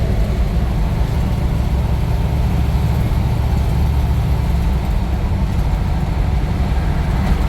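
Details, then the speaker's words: International Scout with fresh GM Performance 430hp LS3 and 6L80 six-speed automatic, cruising at 60 mph, 1,800 rpm in sixth with torque converter locked: steady smooth low drone over road noise, no knocks, ticks or whine; healthy normal running. "so far so good this thing is super happy grow at 60 MPH at 1,800 RPM everything's for six gear trainy locked up"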